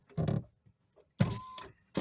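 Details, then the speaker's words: 2024 Mitsubishi Mirage at about 50,000 miles, driver's side power window: short low buzzy farting bursts as motor strains; dry regulator, fixed by removing door panel and oiling with WD-40. "So what happened was the window basically just started making a farting noise."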